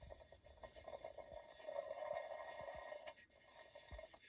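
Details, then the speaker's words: Husqvarna 395XP chainsaw, aftermarket crankcase swap: a new shrink-wrapped bearing turned slowly by hand gives a faint, uneven gritty rasp with small catches. Trash or debris inside the bearing is suspected and might clean out; this is not confirmed. "oh got a little you know there's a booger in there so you know just remember that these aren't like sanitized before they're shrink wrapped"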